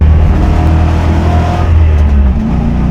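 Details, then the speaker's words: Corvette C6 Z06 V8 pulling away rough, uneven and down on power, misfiring on everything after the crankshaft position sensor died from heat soak. "Yeah, it's just misfiring everything cuz the the crankshaft position sensor is dead."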